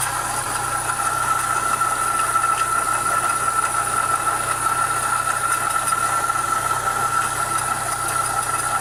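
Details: Renault Clio 172 at idle and while running: a steady metallic rasp with a thin ringing note from the timing belt area; source unknown.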